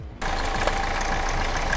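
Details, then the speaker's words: 2013 Hyundai Avante (MD) CRDi 16-valve diesel, about 170,000 km, idling: a thin steady whine over the clatter from the front accessory belt and bearing area. The belt is badly cracked and suspected as the cause; a fluid leak was also seen. "겉벨트 소음이 많이 나는데 앞에 벨트하고 베어링 쪽에 소음이 많이 나니까 부품 탈거하면서 확인하고 교체할 거 교체해주고 해야 돼."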